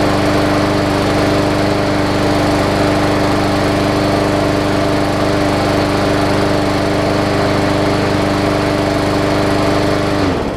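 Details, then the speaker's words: Briggs & Stratton OHV (plastic carb) Hyper Tough push mower after burning off the leftover water in the fuel: a steady, even single-cylinder drone with no surging until shutdown, running healthy. "excellent so all it was doing is it just needed to fight the battle with the water that was still left in there"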